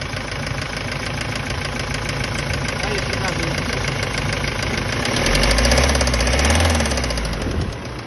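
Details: Kia Sorento 2.5 CRDi D4CB diesel, 170 hp, warmed up: idles with a fast, fairly regular knock about three per second, louder as revs rise briefly; engine knock after warm-up, cause not confirmed.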